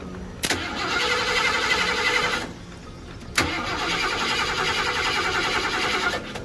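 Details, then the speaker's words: 1990 Ford F-150 XLT Lariat being revived, cranked by bridging two terminals with a screwdriver while someone works the gas: two cranking bursts, each opening with a sharp starter clunk, churning roughly without clearly catching. Hard starting. "Had to use a screwdriver, touch these two to crank it, so hopefully we get that going."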